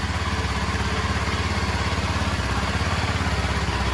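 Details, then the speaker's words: Kawasaki KLX 230 (Indian model) single-cylinder at idle during a water-glass vibration test: even thump about three and a half beats a second, steady and smooth with no rattles; normal idle. "ತುಂಬಾ vibration ಇಲ್ಲ like vibration test ಎಲ್ಲ ನೋಡಿದ್ರೆ ಅನ್ಸುತ್ತೆ ಹೇಳಬೇಕು ಅಂದ್ರೆ ಅಷ್ಟಲ್ಲ vibrations ಇಲ್ಲವೇ ಇಲ್ಲ ಗಾಡಿಲಿ"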